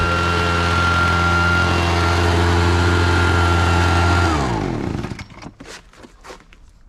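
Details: Husqvarna 435 X-Torq chainsaw, bought used after the owner quit because the chain kept popping off, idles on a replacement part: smooth, even two-stroke idle for about four seconds with no hunting, then winds down and stops cleanly.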